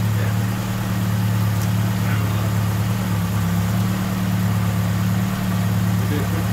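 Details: 41-year-old Ford Capri, Pinto engine, Ashley 4-branch manifold, after replacing the blowing exhaust manifold gaskets: deep, even idle burble with a steady beat and no ticking or puffing at the manifold; the exhaust is fixed, and the car then passed its MOT.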